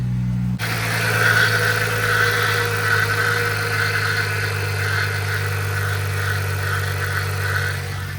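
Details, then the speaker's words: Free daily-driver car just jump-started after repairs, idling: steady hum with a constant whirring note riding over it; source in the engine bay not yet identified. Unidentified noise at idle. "I don't know what that sound is. It's so annoying."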